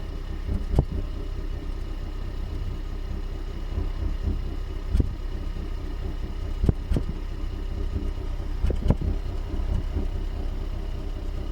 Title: Hyundai Ioniq Hybrid Engine Vibration and Misfire Sound